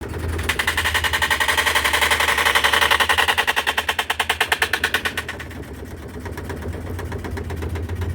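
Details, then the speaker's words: Whirlpool washing machine during the spin cycle: fast, heavy thumping about twice a second that builds then fades, with violent shaking and banging. The fix being tried is a long-bar transmission replacement; whether this cures it is uncertain. "vieron es un ruido espantoso y una tembladera que no se soporta"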